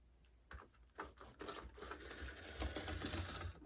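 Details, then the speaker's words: Bachmann HO scale model locomotive from an eBay lot, run in reverse after a push to start: uneven light ticking clatter about four per second as it crawls, sounding like a cracked gear. "However, that does sound like it has a cracked gear. So that might be something to try and fix on this thing"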